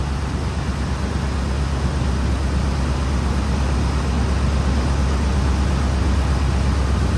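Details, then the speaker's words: 2005 Ford Explorer 4.6 L V8 after EGR replacement, idling: low, even rumble with no hiss or whistle, no sign of the reported vacuum leak, sounds healthy. "there sounds pretty good to me"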